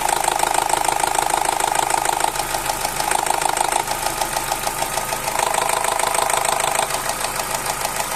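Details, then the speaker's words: Opel Z16XER 1.6 petrol at idle, not fully warmed, with a steady rapid knock and repeated stumbles. Oil pressure is 1.6–1.8 cold and 1.1 warm; cam phaser gears suspected. The valve behind the alternator was then removed. Engine knocking with unstable idle. "я просто не хотів нагрівати його прогрівати сильно бо так калатоло що аж страшно було О все що вона робить провали провали провали"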